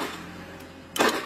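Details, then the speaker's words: Honda Beat FI scooter with a new battery measuring 12.42 V: one sharp starter click with no cranking, battery voltage not dropping during the attempt; the starter is later jumped directly to test it. "Oke guys, kita ada kendala Beat FI starternya cetrek-cetrek ya, kayak percis motor Beat Karbo."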